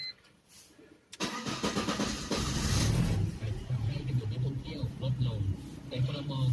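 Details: BMW E46 with a long-crank hard-start problem, after fitting an 8 mm one-way check valve in the fuel line: short crank, then the engine catches and settles into a steady low idle without stumbling; now starts normally.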